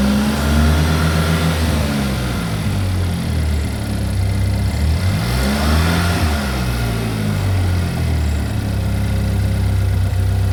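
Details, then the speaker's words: Chevy Equinox after an engine replacement, first start-up: steady low engine hum with a brief rise in revs midway, smooth, no knocking or ticking. Engine running normally. "Hey, for the timing, we just started up for the first time. I said we just started up for the first time, right when you called. It's running right now."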